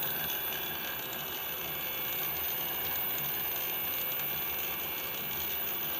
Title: Bafang BBS02 750W strange noises